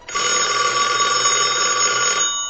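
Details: Allen commercial telephone after board repair, previously would not hang up or ring: bright steady electronic ring about two seconds, stops cleanly; ringer working normally.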